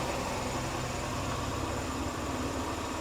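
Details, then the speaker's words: Old scooter revived after a gas leak. A steady, even low putter idle with no knocks, misses or surging sounds healthy. The starter button still doesn't work, and an exhaust clamp is coming loose. "Sure. All right, sweet. I still want to get this starter button to work for sure, but nice to see it running."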